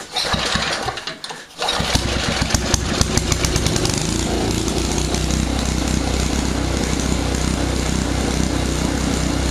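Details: Old Simplicity snowblower started with the key on: brief crank, then the small engine catches and settles into a steady, even chug with no knocks or misses; healthy start and run.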